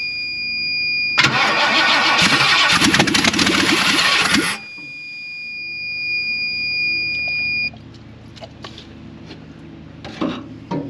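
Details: 1958 Ford F100 V8: starter cranks a few seconds, then the engine catches with a loud burst on starting fluid and dies away. It fired.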